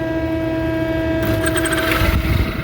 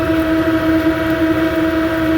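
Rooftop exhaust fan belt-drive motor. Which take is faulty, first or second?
first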